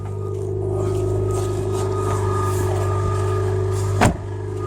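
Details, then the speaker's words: 2011 Mitsubishi Lancer Sportback ES, about 225,000 km, cold start at -12°C: steady idle with a thin constant belt squeal while warming up, present since a lightweight crank pulley was fitted, tapering off as the engine warms. "alright you can hear the belt squealing warming up so yeah pretty much 225 let's hear that belt"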